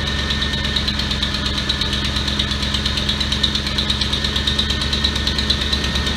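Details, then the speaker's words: 2004-2008 Ford F-150 5.4L after alternator and drive belt replacement, idling; alternator charging 14.2-14.3 V, smooth hum and light belt whir, no squeal, chirp, rattle or vibration. "So the alternator is charging at 14.3, 14.2. So it is functioning. It sounds good. There's no noise at all, and there's no vibration."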